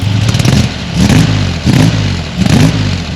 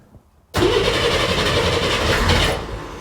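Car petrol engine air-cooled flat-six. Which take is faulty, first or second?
second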